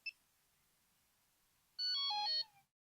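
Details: Delkim Rx-D v2 receiver switched off by holding all three push buttons: one brief chirp, then a short burst of high stepped tones falling in pitch, the normal shutdown signal.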